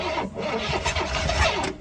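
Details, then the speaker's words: 1969 Pontiac Firebird stored since 1994, first start attempt in nearly 30 years: the starter cranks and the engine nearly catches, then winds down and dies. The fuel feed line has a hole and is pumping fuel out, so no start. "The fuel line has a hole in it. Right here, and it's still trying to pump fuel out of it."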